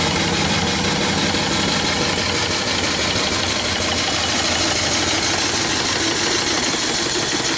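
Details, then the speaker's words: Wood/coal-fired steam engine with rare fly-ball governor on 16"x38" boiler, pop-off valves set at 110 lbs, good draft without blower: steady, even chuffing with constant steam hiss, no knocks or clanks; engine running smoothly under its governor. "engine runs good this one has a Fly ball governor on it rare"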